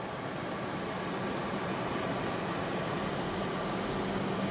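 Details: Used desktop PC with new processor cooler and power supply: soft, even whoosh with a faint steady hum and no ticking or grinding as fans turn slowly at minimum speed; front case fans make most of the noise.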